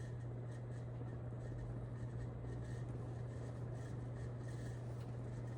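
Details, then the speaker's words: Nutone Verandah Deluxe ceiling fan on lowest setting of Nutone Skylark control: constant low motor hum under soft airy whoosh; owner suspects running on high a while will clear noise, cause unconfirmed. "I think I just have to run it on high for a little bit to get rid of that noise."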